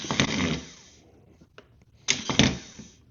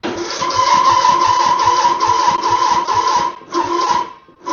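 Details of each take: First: Mower starter motor bench-tested with a jump box: two short, clean whirs spinning up freely with no grinding or clatter, and no weird noise. The starter is healthy; the owner suspects the battery was the problem. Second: Mower that won't start: a strained, whining crank stopping and restarting in short bursts without firing. The owner first suspected the starter; an overtight deck belt was dragging the engine.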